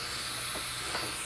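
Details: Constant high airy hiss, steady with no rhythm, from an old unchanged fitting leaking on an inherited built-in workshop compressed air line during testing; fitting to be swapped for a new one.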